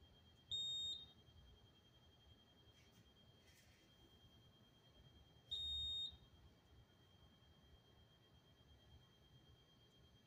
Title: Honeywell Notifier Fire Alarm Panel Beeping